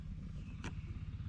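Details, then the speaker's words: 1961 VW Beetle, key on, engine off: quiet low ticking hum of a hardwired electric fuel pump running whenever ignition is on, holding 6 psi; pressure pushes fuel from the carbs, so a manual switch is being added. "that's the fuel fuel pump and so then if I look here at the fuel pressure car is not even on this is six pounds and it just sits there with six pounds"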